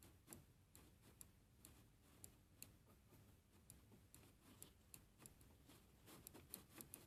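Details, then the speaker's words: Neo-Tantillus 3D printer Y-axis, head moved to the edge with the mic close: sharp light clicks about two a second at uneven spacing from the mechanical end-stop switch triggering normally. "if I were to move the head to the edge let me get the mic for you to hear the clicking song it is the song of the mechanical switch being ticket"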